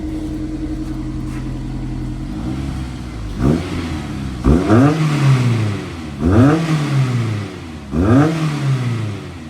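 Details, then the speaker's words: Honda S2000, about 55,000 miles, with UK exhaust mod, warmed up after fluid change: several blips, each rev rising and falling cleanly with a deep, even exhaust note; healthy, slightly wobbly only on cold start. "It's actually a really nice tone."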